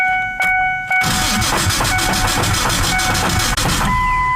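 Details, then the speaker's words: 2001 Ford Ranger, rebuilt 4.0 engine, sat 2.5 years, no-start, neutral, clutch in: uneven rhythmic chatter while cranking without firing; abnormal cranking noise, almost like rod knock, owner suspects starter, fuel unknown; later fixed by repairing a few grounds. "It's cranking over, but something does not sound good. I have no idea what that is. Almost sounds like a rod knock."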